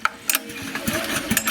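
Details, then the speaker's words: Honda EG2200X 2.2 kVA generator from the early 1990s or possibly 1980s, freshly fueled after sitting two years, fuel turned on, recoil pulled: quick light clattering spins with no binding or hard kickback; turns over freely, likely compression release. "Turn the fuel on. Turns over nice. I think this has a compression release."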